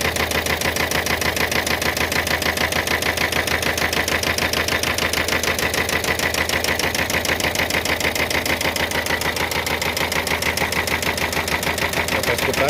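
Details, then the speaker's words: Expert 1.5 van whose engine was swapped and worked on elsewhere, now noisy at idle: hard, regular metallic knock about 200 per minute; the first and second pistons are marked from striking the cylinder head. "esse aqui tá batendo na cabeça do cabeça do pistão tá batendo aqui no cabeçote"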